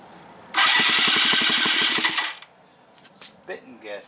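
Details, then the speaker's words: 1986 Yamaha Riva scooter, fresh gas poured in after reed valve check: starter chugs slowly for under two seconds and never fires; owner says the new battery is going low and there is no spark at the plug. "Battery sounds like it's going low. I don't have a battery charger. It was a new battery too. It's not getting sparked to the spark plug."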